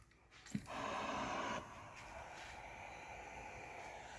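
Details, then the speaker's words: 1984 National TC146M tube TV after repairs, picture normal: thin, piercing steady high-pitched whistle above faint hiss; flyback suspected, owner plans to replace more capacitors and filters. "Agora esse flyback, eu acho que é o flyback, tá apitando, tá?"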